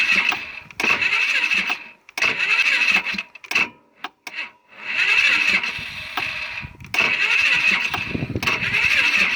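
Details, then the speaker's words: Polaris Sportsman 500 ATV, about 12,000 km, problems started after a rollover: repeated short bursts of sluggish starter cranking with pauses, never catching; owner says the new battery never turned it over as quickly as the original; cause unconfirmed. "Since the day one I put this battery in this thing, I've been having problems, by the way, where it actually seemed like it wasn't turning over as quick as the factory original."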